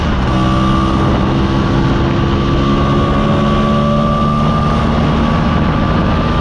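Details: Mostly original Spanish Lambretta Jet 200 (Serveta) two-stroke on test ride after carb slide cutaway changed from 1.2 to 2.2; steady, even drone with wind rush, no misses or surging; mid-range spluttering cleared, runs silky smooth.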